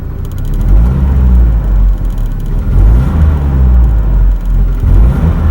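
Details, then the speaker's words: GAZelle Business with a UMZ-4216 engine at 230–231k km: deep rumble swelling with throttle and faint knocking under load; piston knock, wrist pins found fine, oil change history unknown. "Стучит двигатель. Пробег 230."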